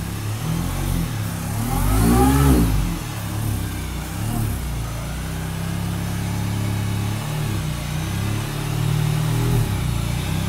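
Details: 2004 Mini Cooper S R53 supercharged: idle then revs with a loud rough roar rising with revs from under the intercooler; likely caused by a line falling off the fuel regulator, a quick fix.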